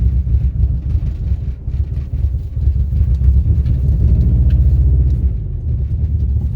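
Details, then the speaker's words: 2003 Subaru WRX rally car project, driving on its first test drive: deep, uneven engine rumble with an irregular stumble and loping pulse about three or four a second; engine misfire, cause undiagnosed, compression suspected. "It's running, it's driving. It's not running well. It's got a misfire in it or some sort of deal."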